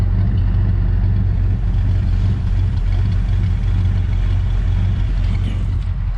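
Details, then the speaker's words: 1967 Ford Galaxie 500, 289 Ford V8, during the 30-minute break-in: deep, steady idle with a slightly uneven low beat, not quite smooth; owner thinks the carburetor and probably the timing need fine tuning. "It's a pretty good sounding engine. Probably the carburetor needs fine tuning, and probably the timing as well."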